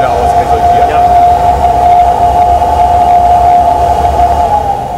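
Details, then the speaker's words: Flowbench test of a plain cut-off intake pipe with sharp-edged inlet: steady high howl at one pitch over rushing air roar, caused by turbulence at the sharp pipe entry. "man hört so ein gewisses heulen jetzt also was ein rein akustisch hört man eben schon dass hier verwirbelung stattfinden so das hat natürlich auch mit dem scharfen eintritt hier des rohres zu tun"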